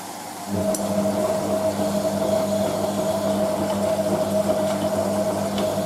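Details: Hotpoint 9530 Electronic 1000 Plus washing machine on Programme 4 (50ºC Coloured Synthetics), polyester/cotton mixed load, first rinse: after filling, the pump kicks in after a short pause with a steady, even hum and slight water gurgle. Normal pump running.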